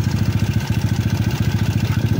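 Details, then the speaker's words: Yamaha Cygnus 170cc after the 4V head (59) reset. A steady, even single-cylinder idle thumping about thirteen times a second, with no ticking or tapping on top; the engine is now quiet and running well. "So medyo masaya na si sir at nakita niya tahimik na yung motor niya."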